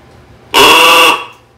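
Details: 1926 Oakland horn, back on the road after 75 years, horn button on the column switch: short buzzy half-second blast with reedy tone, thin and weak; battery found dead.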